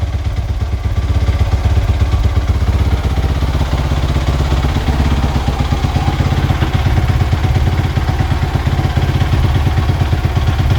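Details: Suzuki RMZ450 started after fitting new grips, Acerbis handguards and brake lever, checking throttle doesn't stick; quick single-cylinder thump with light blips, returning to idle each time. Normal idle.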